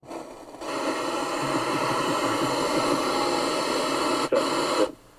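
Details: Sharp GF-6060E radio cassette, powered up before restoration on FM with the aerial raised: steady, loud rushing hiss for about four seconds that stops abruptly at switch-off; FM static with no station received.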